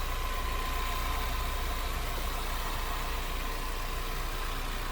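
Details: 2020 Ford Mustang Premium Convertible EcoBoost with a little over 20,000 miles, heard at idle with the hood open. Smooth, even low rumble with no ticking, knocking or surging; normal, healthy idle.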